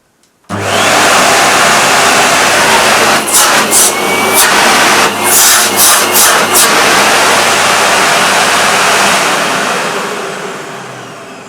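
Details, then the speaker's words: New Hoover Aquajet S4514 5-in-1 vacuum cleaner at first run: the motor spins up at once into a steady, even rushing whine that holds its pitch with no rattle or grind, and still smells new; a healthy, smooth motor. "motor still smells new and yeah that sounds smooth"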